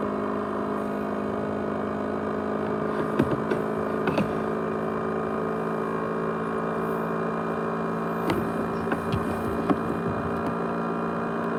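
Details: ASUS X543UA laptop with 500GB USB hard drive: constant loud whir with steady high tones and a few faint ticks, like a small jet spooling; loud whirring noise, cause unknown.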